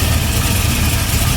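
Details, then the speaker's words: Warm LS V8 idling with a steady deep rumble; the earlier noise is gone, leaving typical valvetrain/rocker arm noise and an audible exhaust leak; owner still plans to check the crank bearing. "that noise is gone and uh you can hear the exhaust leak"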